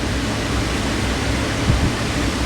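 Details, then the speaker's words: Galaxy/Lasko 2154 9-inch oscillating desk fan after cleaning, servicing and balancing (about 94% balanced): steady, even rush of air with low hum, no ticking, rubbing or wobble; strong airflow, very quiet, running normally. "That is whipping the air out. And you know what? These are really quiet, so that's one of the things I like about these."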